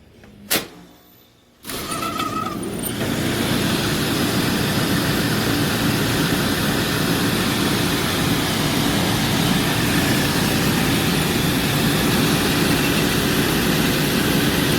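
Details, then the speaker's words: Rooftop Bryant/Carrier package AC unit, thermostat bypassed into cool, belt not yet tightened: click, then loud rough steady rumble with brief squeak, heavy vibration and occasional knocking at startup. "A lot of vibration that I can see. Not really as terrible as a noise as I expected, I guess. Let's let it run, see if it gets worse. I can hear a knocking every once in a while."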